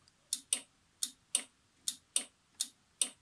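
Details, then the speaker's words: Scooter/ATV electric start: starter relay gives sharp, dry clicks about twice a second but the engine does not crank; clicking means start button, relay and brake switch likely work, so the starter motor or a jammed bendix is suspected. "când se aude acel țăcănit înseamnă că butonul releul și senzorul de la frână funcționează cel mai probabil Problema este la electromotor sau chiar și bendixul poate fi blocat"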